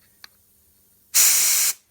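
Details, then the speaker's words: Dirt bike carburetor, disassembled, float removed, air blown through the jets and passages for cleaning: one short, steady, clean hiss of air passing straight through with no sputter; passages clear. "Voilà, on entend bien que tout est nickel."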